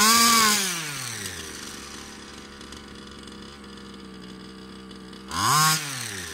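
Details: Baja 5B RC two-stroke on fresh fuel with a different carburettor and a little tuning: blips high, settles to an even idle, then revs cleanly again. Runs much better; normal running.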